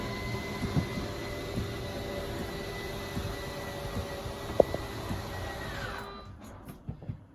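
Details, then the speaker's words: 2022 Forest River RPOD 190 travel trailer slide-out run out with the out button; steady motor whine about six seconds, then motors wind down and stop with light clicks at full extension, normal. "Once the slide out is at its full extension, you're going to hear the motors wind up and"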